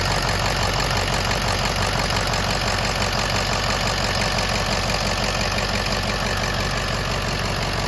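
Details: 6.0 Powerstroke diesel with rebuilt engine, idling before a highway drive: steady, even idle with a regular clatter of about three beats a second, no misses or odd knocks; healthy.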